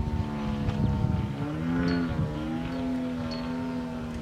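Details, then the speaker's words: TW 200 on a carburettor test at half throttle, pulling up about 45 degrees: high buzzing engine note sags and wavers midway as load comes on, then recovers. Falters under load, cause unclear. "Pulling throttle back. Same issue."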